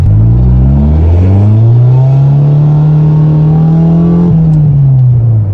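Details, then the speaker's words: Honda Civic EG6 after fitting exhaust parts from the trunk and welding, revving: deep, loud, boomy aftermarket exhaust note rises, holds and drops back, no knocking, belt squeal noted; still loud but much better than before. "It's still loud and it's still going to attract attention from the enforcement authorities, but it's much better than it was before."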